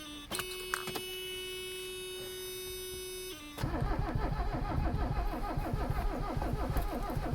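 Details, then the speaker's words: Abandoned Mercedes 300CD diesel cranked on ether: steady whirring, then slow uneven cranking with an odd weak firing pulse about 150 a minute; fires on only one cylinder. "Getting nothing there. Oh, got 1 cylinder. I think the accelerator's stuck, so we're gonna not use the accelerator."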